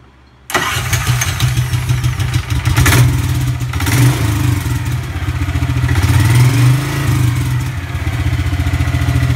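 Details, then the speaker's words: EZGO golf cart (1994-2008) after a 625cc 23HP big block engine upgrade with vacuum-pulsed fuel pump, test run: sometimes hard starting, but this time it catches at once and settles into a steady, even thrum with light throttle blips; runs clean. "test run sometimes it's a little hard starting and I have to play with the foot pedal but I just started at once"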